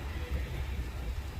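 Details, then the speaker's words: 2009–2014 Ford F150 after replacing the passenger-side blend door actuator, vent mode, temperature swept 60 to 90°: steady engine rumble in the cab with no popping or clicking; quiet actuator, though a pop may occur on cold start. "so we've done our full sweep from 60 to 90 no popping no nothing going on no popping on cold start"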